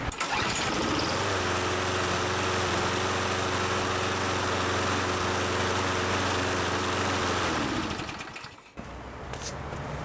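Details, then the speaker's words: Toro Super Recycler mower, 6.5hp Briggs & Stratton, with stabilized fuel: starts first pull, smooth steady even run, then clean shutdown; self-propel works, ready for spring. "okay first pull that's what i like our self-propelled system works which is great so this guy is ready for the spring"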